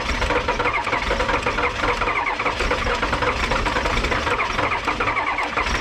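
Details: Diesel vehicle in cold weather after glow plugs cycled twice, Optima YellowTop batteries revived from full discharge by charging: brief crank, then catches and settles into a steady diesel clatter at idle; clean cold start.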